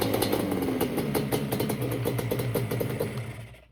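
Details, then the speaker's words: 1989 Yamaha Banshee two-stroke twin after unplugging the TORS throttle override and its box; running on fuel left in the carburetors, tank disconnected: crisp, ringing crackle at about four pops a second, steady before dying away. Normal revving. "Then I ended up unplugging the Tors, and if you do unplug the Tors, you have to unplug this little box right here. If not, you won't have spark. And it fired right up."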